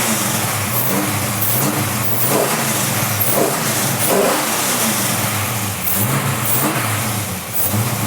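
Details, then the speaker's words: Camaro with Holley EFI Dominator, still self-learning, started for the first time after rebuild: strong even revs rise and fall cleanly with a steady idle between, no rattles, clicks, bangs or pops; healthy engine. "just tight there's no rattles and no clicks there's no bangs there's no pops"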